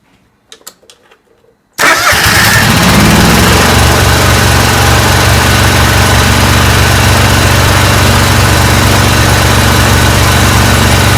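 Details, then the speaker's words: John Deere mower Kawasaki V-twin before repair, started with a spark tester in line and seat switch overridden: slightly uneven, lumpy idle; very weak spark on one cylinder, matching a failing ignition coil on that side. "I could barely see it in real life. Very, very weak spark on this side. And that correlates with the coil problem on this side"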